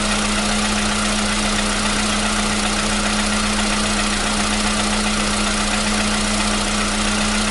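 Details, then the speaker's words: 2015 VW Polo Sedan (CFNA petrol), 76,000 km, cold start with new battery: even cold idle hum with steady tone near 200 Hz, no regular knocking; the old cold-start knock is gone. "Вот так, проехав 76 тысяч, двигатель внезапно перестал стучать."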